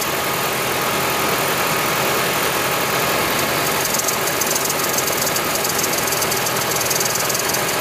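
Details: 2010 Toyota Prius, over 300,000 miles, engine running: constant airy hiss with no pitch change; likely the EGR valve not fully closing, as the hiss disappeared after removing and cleaning the EGR valve.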